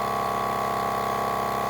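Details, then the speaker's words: Milwaukee M18 cordless air compressor on wall power via adapter building pressure: smooth steady pump drone with even pulsing, no rattles; draw climbs from about 310 W to about 380 W at 70 PSI as the motor works harder; normal running. "The wattage right there continues to climb as the pressure builds and that motor's having to work harder."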